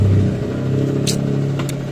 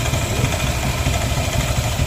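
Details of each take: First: Yamaha NMAX scooter: a steady engine drone with brief sharp scraping flicks from the CVT. The clutch bowl is worn unevenly and the clutch nut/bolt area is loose, so the clutch scrapes. Riding on is advised against. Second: Yamaha N-Max scooter idling after repair of a strange noise from the CVT, with the internal threads re-tapped: smooth, even hum with no rattle or scraping from the belt drive; the noise is gone; normal idle.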